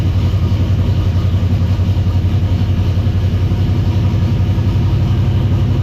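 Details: V8 idling just after a very loose belt that was causing racket was tightened, warming up with the temperature gauge not reading: even, rumbling idle with a regular low pulse and no belt squeal or slapping; it sounds healthy.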